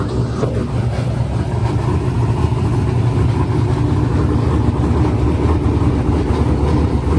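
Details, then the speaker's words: Silver Z06 with boosted LS engine: a hard full-load roar stops climbing and holds one RPM in top gear as the tune's active boost safety cuts power; more shift RPM seemed to help, and the safety is to be removed. "so we'll play it again just listen to it clearly you can hear on once it clicks high gear it just keeps just holding one RPM"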